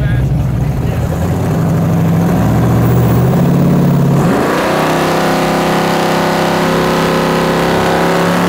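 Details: 1970.5 Chevrolet Camaro Z/28 7.50 Index drag car, LS6 V8 on FuelTech FT550 EFI, hub dyno; after about 20° more timing (was popping out the exhaust while cranking), rough loud cranking settles into a steady, even V8 rumble with clean firing pulse; starts and runs properly.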